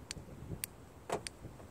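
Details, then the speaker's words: Car with newly installed remote start: lock command makes door lock solenoids fire with several short, sharp clicks; unlock command flashes parking lights but no solenoid fires, so doors won't unlock. "Now if I push the lock button, you can hear the solenoids click. Watch. Hear it? But unlock, nothing."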